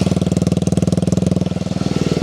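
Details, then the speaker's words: Restored Honda XR75 vintage single-cylinder, sat five years non-starting, now started in two kicks: quick, even idle with a steady popping exhaust beat, no misses; healthy normal idle. "Just like a wet fart after a can of baked beans. Sounds so good."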